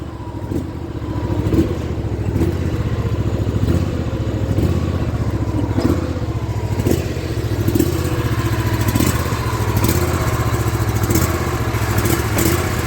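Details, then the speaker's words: Small engine running after fuel-line fitting repair. The idle rises and sags about every two seconds in a slow, repeating hunting surge that never settles, the same surge it showed before the repair. Idle surge. "that's what it was doing before with that surge i'm not sure i like that"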